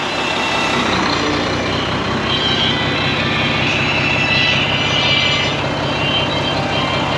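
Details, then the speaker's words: Volvo VNL truck with D13 diesel, first start after sitting four months following a deer collision: loud steady idle with a windy hiss that swells whenever the engine surges, air escaping where a seal is missing after earlier repair work. "no here is where it's coming from so there's a seal right there comes with a seal there's a seal missing from there after the guys replace doing what they're doing there's a seal that is missing"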